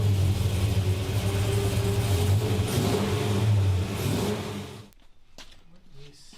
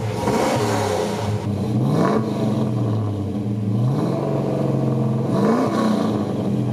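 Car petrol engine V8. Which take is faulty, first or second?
first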